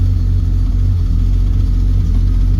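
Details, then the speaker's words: 1968 Triumph TR250 cold start after sitting all weekend, exhaust manifold cold, on choke: deep, even burble with no misses or knocks; temp gauge cold, oil pressure up, charging, tach holding; normal cold idle. "There we go. Temp gauge is cold, oil pressure's up."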